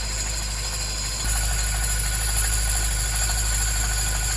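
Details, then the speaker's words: Salvage Mini JCW (N14 engine) first start after rebuild, belt removed to chase a noise: steady, even idle with no knock; the knock suspected as piston or bearings may be down to the belt tensioner, normal idle. "It worked. It worked. And it's not making a knocking noise, which I thought was either a piston or bearings coming off the bomb."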